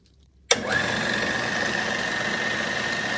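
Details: 1940s RCA 16mm projector after the replacement Bell & Howell spring drive belt and gear greasing, rechecking reverse: the motor clicks on and settles into an even hum with a steady high tone; normal motor start.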